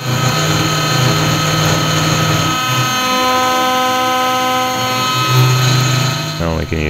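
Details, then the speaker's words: OpenBuilds MiniMill CNC router, early aluminum cut: loud cutting tone with ringing overtones and a low drone; frame resonance chatter strong enough to shake the camera. "It doesn't sound great. And there's it's fairly slow, but it can definitely create some resonances. Here's an example."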